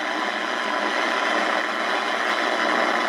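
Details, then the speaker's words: Early-1980s GE AM/FM clock radio on the AM band: steady harsh hiss and buzz with no station audible, interference from a nearby aftermarket laptop switching power adapter; unplugging it reduces the noise. "it's uh picking up a lot of uh it's generating a lot of uh electrical noise"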